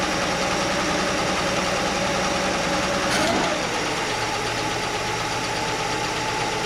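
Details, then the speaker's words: Chevy Nova straight-six at steady idle with the valve cover off: rapid light ticking about three or four a second; stethoscope on each rocker stud found one ticking, and tightening that loose rocker arm while running quieted it. "I put the stethoscope on each stud, and that one I felt like it was ticking, like the other ones weren't"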